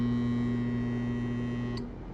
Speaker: e esse é o barulho é proveniente do compressor quando ele não consegue partir devido da com problema aqui no nosso capacitor